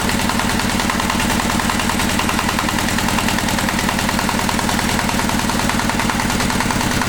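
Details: Single-cylinder walk-behind tractor engine running at steady mid revs on a spring-held hand throttle after teardown and new bushing; even beat, earlier knock gone, slight gear wear noted; sounds healthy.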